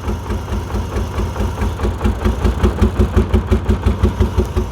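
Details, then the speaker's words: 1989 BMW 535i E34, M30B35 straight-six, crank-no-start: lumpy, uneven idle pulsing about three times a second, stumbling and never smoothing; owner suspected fuel. "it's just messed up man I mean this is just downright bizarre I mean like what in the hell that is the weirdest running condition I've ever seen"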